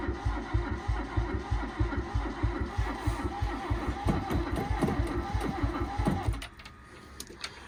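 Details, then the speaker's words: Barn-find Toyota Corolla AE82 4A-GE: steady starter churning about 1.5 beats a second with odd pops, never fires, then stops; fuel pump working, injector fuse fine; cranks but won't start, later found oil in the valley. "Alright. So it's trying, it wants to go, it's just something ain't right."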